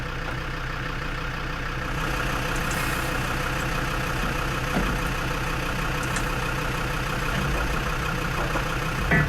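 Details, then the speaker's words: Lansing Bagnall Model A tug, Perkins P4 diesel, heat applied: long rough cranking with a few uneven firing puffs that never run. It has compression. "oh nearly she's trying you know she's trying oh dear sounds like she's wanting to go but it's not having it"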